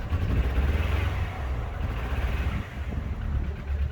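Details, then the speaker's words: Engine after reassembly during diagnosis runs deep and lumpy with uneven beat and surging loudness; misfiring, much worse than before, owner suspects a failed coil pack. "That's worse. A lot worse. That sounds like a failed coil pack now."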